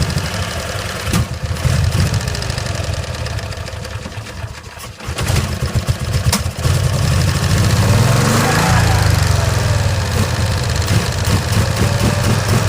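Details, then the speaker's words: 1965 Cushman Truckster, sat over a year, three-speed column shift in neutral; small twin sputters and surges unevenly and won't accelerate cleanly, with a stuck choke valve not letting off: rough running. "it's just I'm trying to get that choke to let off that's the problem it's got like it's got a stuck choke valve on"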